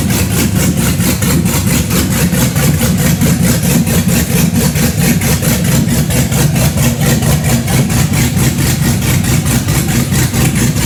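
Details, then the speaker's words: Chevy Blazer big-cam engine after first start-up: deep idle with a steady uneven lope, about 1.5 surges per second, no knocks; normal big-cam idle. "Yeah. That doesn't sound normal. That's That's normal. what it's supposed to sound."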